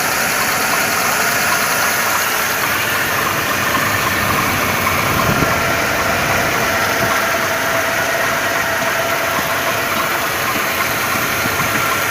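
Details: 2.2 engine (111 motor) at idle with an irregular deep knock about once a second under a loud engine note; cause not identified.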